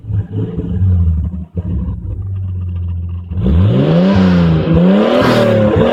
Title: No more exhaust leak!